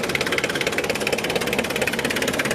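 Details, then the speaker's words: 1993 Mitsubishi Delica Starwagon Chamonix 4x4, 2.5 L turbo diesel, about 25 years old, just started and warming: even rapid diesel clatter at steady idle, no misses, knocks or speed swings; runs healthy. "Sounds like a diesel, runs like a diesel. It's got a beefier alternator. That's what comes with these Chamonix. And just love the sound of that thing."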